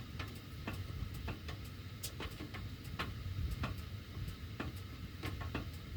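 Sharp irregular ticks, roughly two a second, over a low steady rumble; metal ductwork popping as it heats, cause unclear.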